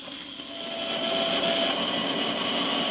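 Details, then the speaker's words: Rebuilt model steam plant's small steam engine, first live steam test: steady hiss with a soft, even beat; initial knocking from the piston hitting water at each stroke end has stopped and it runs smoothly. "these are very small engines so the drain coocks are not essential the knocking soon stops and the engine runs smoothly"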